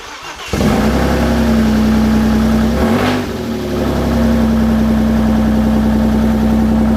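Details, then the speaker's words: Audi B5 S4 after complete overhaul with modified intake manifold, new battery, exhaust with mid pipes only; catches after brief crank, stumbles once, then loud steady deep unmuffled idle, running cleanly; fuel rail leak found afterward. "Oh, it runs. It runs. It runs. That was, Loud. well, it's only got mid pipes on it right now. It don't got anything else on it."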